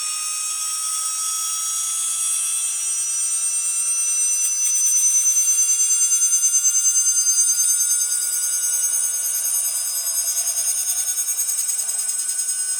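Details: Atlas launcher gyro rotor powered with 115 V AC across terminals A and B with a 270 nF capacitor: piercing steady high whine with pulsing overtones at full speed; very noisy, cause unknown.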